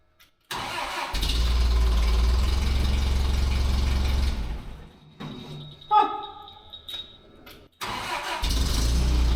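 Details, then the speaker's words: Terex crane engine after new spark plugs and fuel adjustment catches and runs steady about four seconds then dies; would keep running if starter held, suspected vacuum switch cutting constant power to fuel solenoid, so it stalls after start. "kind of makes me think it's not getting the constant power yeah like if we had hold the starter would keep running yep something going on with that vacuum switch dealio"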